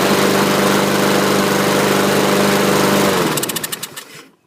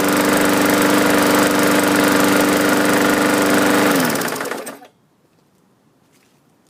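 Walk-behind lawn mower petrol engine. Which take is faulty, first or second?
second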